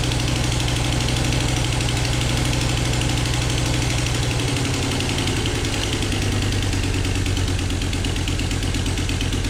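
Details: Volvo S60R five-cylinder at first start after the engine was liner-shimmed and reassembled: steady puffing tick over a lumpy idle, in time with the engine, thought to be an exhaust leak; a possible misfire is also suspected and connections are to be checked.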